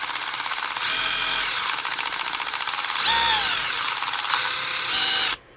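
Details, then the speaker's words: DeWalt DCH273 SDS rotary hammer on battery, chisel mode with mode switch held in place by hand; fast crisp rapid-fire hammer blows over a high motor whine at an even rate, hammer mechanism working properly. "So that's chisel mode. Put it the whole way there. You have nothing to hold it in place. So you have to get this right manually. Hear the hammer. You can hear a hammer."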